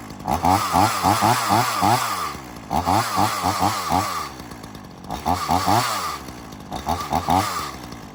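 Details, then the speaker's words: Ryobi RY3716 small two-stroke chainsaw with original air filter and spark plug, revving in repeated bursts, each climbing cleanly and dropping back to smooth idle; crisp, quiet, healthy running. "I'll start it up and let you listen to it. Runs really good. It is quiet. Very nice little saw."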